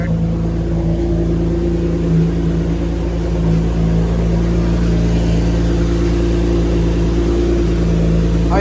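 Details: 2018 Toyota Camry idling just after an AEM cold air intake install: steady low engine drone with no misses, surging or leak hiss; a healthy settled idle.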